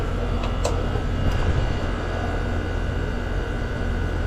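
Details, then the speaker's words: Goodman heat pump after compressor replacement, R-410A: new compressor's low, steady drone settles evenly after start-up with no rattle, clunk or grinding; running well. Charge 146 oz versus 140 nameplate, head 258, suction 150. "All right, we're on 410. That compressor sounds good."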